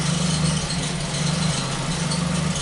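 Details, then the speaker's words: Ford Focus at idle after replacing a sensor on the intake: low idle thrum with occasional stumbles where the beat drops out; intermittent misfire, less frequent than before, cause not yet found. "there's a misfire here let's see what happens here nope it's not uh well again we have to drive it it's not as frequent as it used to be but it's still there still does it there you go right there"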